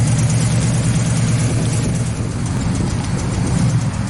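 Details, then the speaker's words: 1968 Chevelle with a big block, ex-drag car, after ladder bars were removed for stock rear suspension and a full mild-steel exhaust with Smitty's glass pack mufflers was fitted: deep, even, loping idle with no ticks, rattles or leaks; healthy. "yeah suspension doesn't clang or bang in the back anymore exhaust sounds good"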